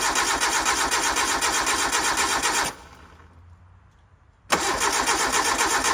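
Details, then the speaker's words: 1988 Suzuki Samurai parked since the late 1990s, cranked without starting fluid, fuel turned on: steady fast starter cranking that never catches; no fuel reaching the engine. "it didn't fire. Let's see if we're getting fuel up here. Alright, getting no fuel."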